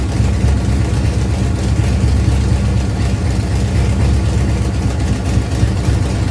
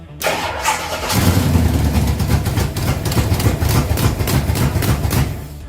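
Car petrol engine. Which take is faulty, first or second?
second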